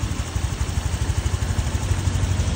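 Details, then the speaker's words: Honda Vario 125 FI scooter engine after piston replacement (it had seized and smoked white from neglected oil change), oil checked; idles with an even, low, steady putter, no knocks or rattles; normal idle, smooth as before. "Nah, untuk suara mesin sudah cukup halus ya. Baik, ini setelah saya tes ya beberapa saat aman ya. Untuk suara mesinnya halus normal seperti semula"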